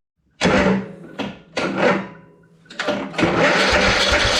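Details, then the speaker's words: Troy-Bilt riding lawn mower, long unused: repeated starter cranking with chugging compression beats, choke on then off, spark confirmed, never catches; fuel comes out but may not be getting into the engine. "Alright, so we have fuel coming out of here. But that doesn't mean it's getting into the engine."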